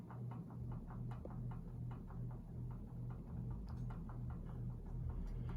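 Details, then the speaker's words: Evergo 5E-5LW P3S 52-inch five-blade ceiling fan at high speed: steady low motor hum with faint fizzy bearing rustle; hum is annoying but bearings are very good, canopy rubs ceiling on medium. "there's an ever so slight bearing fizz as well but the berries are really really good on this fan"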